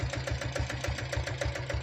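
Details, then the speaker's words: Restored old Royal Enfield diesel Bullet single-cylinder, engine untouched apart from an oil service and head work: even low thump of about seven beats a second with a light top-end tick; normal idle. "வண்டி இன்ஜின்லாம் சூப்பராக இருக்குங்க. இன்ஜினில் நாங்கள் எந்த ஒர்க்கும் பண்ணல, oil service பண்ணியிருக்கிறோம், head வேலை மட்டும் செஞ்சுருக்கிறோம்."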